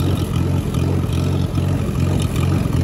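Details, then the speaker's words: Engine with uneven, stumbling sputter about three times a second as it bogs under load going slightly uphill in third gear; owner suspects carburetor and float need rebuilding. "you notice how it's only doing it when i go up a slightly uphill in third gear because i'm kind of bogging it and working it a little bit more"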